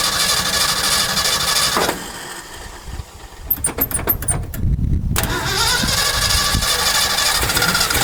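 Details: 1968 Ford F250, non-running for years, after a carburetor rebuild: long cranking whir, a brief stumbling catch with a few sharp pops, then back to cranking, never settling into a run; cranks but will not stay running.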